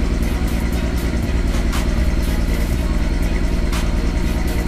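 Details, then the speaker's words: VW GTI awaiting R32 3.2 swap, first cold start: rough, uneven idle with lumpy irregular beat and stumbles; misfire, cause not found. "getting ready to bring jerseys car in the garage first cold start will hear the misfire it sounds like garbage"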